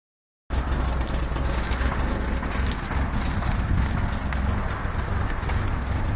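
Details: 1994 Mazda 323 at idle: a low, lumpy thumping with an uneven beat while engine speed holds stable. The idle is rough and the cause is not yet pinned down.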